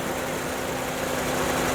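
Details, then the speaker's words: 2016 Ford Transit Connect, 2.5L Duratec, 93,000 miles, after spark plug replacement: steady even idle below 1000 rpm, low constant hum, no misses; slight engine shake that it has always had, normal. "but that is normal for this engine has 93 000 miles on it and it's always exhibited this behavior"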